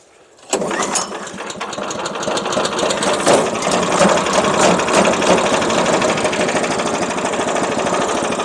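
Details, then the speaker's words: First run of the new engine on a Harbor Freight bandsaw mill, with a new water tank, started on choke with a little throttle: it catches after a brief crank and settles into a steady, even putter with no knocks or misses. Normal cold start and idle. "That's idling. Everything looks in order."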